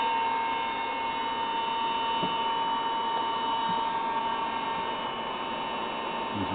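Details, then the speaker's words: Collins airborne HF communications transmitter powered up (28 V and 140 V present, no high voltage): a constant rushing blower roar with steady electrical hum and a thin whistle, loud for a cooling fan. Noisy cooling blowers. "So let's see, can I get it going? As you can hear, it is fairly noisy."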